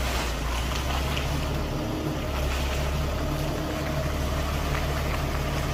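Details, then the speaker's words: 2012 Kia Mohave with 277,000 km, driving after hub spacers removed: smooth, even engine and road hum with no ticking or clicking when turning; the earlier underbody tick is gone a day later, so the fix seems to have worked. "이제 소리가 안납니다이 작업을 어제 했는데 오늘까지 소리가 나지 않는 것을 보니 성공인 것 같습니다"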